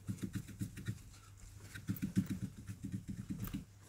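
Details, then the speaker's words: Rear suspension knocking over bumps: quick bursts of dull knocks, about three or four a second, as the rear moves. The owner suspects worn rear trailing link (reactive rod) bushings, which have visible play; shock absorbers seem fine. Not confirmed. "На кочках стал стучать зад. Я грешу на реактивные тяги. Вот они стучат, получается."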